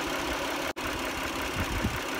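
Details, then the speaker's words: 2010 Dodge Journey 3.5L with engine ticking suspected from sludge, after Amsoil engine flush and 10W-30 oil change: fairly even idle, low steady rumble, no obvious tick standing out; sounds healthier, improvement to be confirmed over time. "sounds pretty good i guess we'll we'll know in time whether we've really solved it or not but i think we may have done some improvement here"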